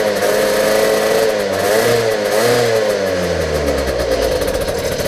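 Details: Peugeot Speedfight 50 two-stroke moped after carburetor change and exhaust refit; catches and revs up and down cleanly with the throttle; runs fine.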